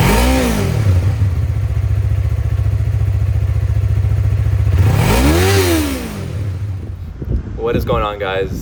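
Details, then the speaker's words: Yamaha R3 with stock exhaust, before Akrapovic slip-on install: smooth, mild lawnmower-like drone holding steady, then rising and falling cleanly with two throttle blips. Normal stock exhaust note. "Now, the exhaust on this bike is genuinely the worst thing about this bike. It honestly sounds like a lawnmower, as you can tell from that opening"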